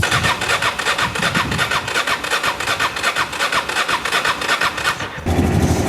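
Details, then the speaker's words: Honda XRV750 Africa Twin started after 10 years in storage: petcock refitted and switched to reserve because fuel was very low; corroded fuse had stopped fuel pump feeding the carb. About five seconds of rhythmic cranking, then catches into a steady, even idle; clean start. "And she lives. I switched it to reserve. Apparently the fuel was so low that it was just dying off. Oh my God, I can't believe I got it to work. It sounds pretty darn good."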